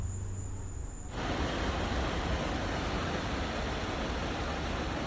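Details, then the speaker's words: 1964 International Harvester Travelall C1100 during electrical work, blower on high: after a second of quiet, a strong, even rush of air with no rattle or squeal; blower is in good shape. "nice that puts out some wind here's High that's not bad at all that's in good shape so fixed something"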